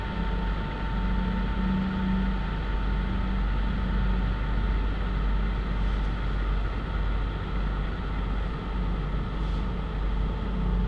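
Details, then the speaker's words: PC that shuts down on its own while browsing, editing or gaming: constant loud drone with a steady low hum, fans running flat out like a jet turbine; owner suspects dried CPU thermal paste, not confirmed. "Nah, dia itu perputaran fan-nya kencang banget ya, terus suara fan-nya itu udah kayak turbin pesawat, kayak mau take off."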